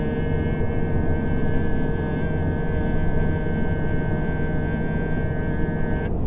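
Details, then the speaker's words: Toyota GR86 with 2.4 L flat-four, cruising at 110 km/h at about 3,000 rpm, heard in the cabin: constant low boom with a steady hum on top amid road roar; normal but tiresome engine drone. "I'm not sure if you can hear it over the road noise, but when you're sitting on 110 k's an hour, the engine sits on about 3,000 revs."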